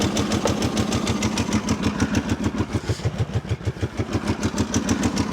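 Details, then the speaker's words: Abandoned machine, started with the air filter refitted: lumpy idle with steady rhythmic clatter about three beats a second; mechanical noise that worried the owner, cause not confirmed. "Now, when I first heard it up, I was a little nervous because you can hear some noise in here."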